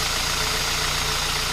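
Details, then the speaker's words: Kia Ceed 1.6 petrol 2007 after tensioning alternator/accessory drive belt two turns and belt spray, around +10°C and damp: smooth steady idle, no belt squeal or chirp; squeak gone for now, belt may still need replacing. "пока не скрипит на дальнейшее посмотрим"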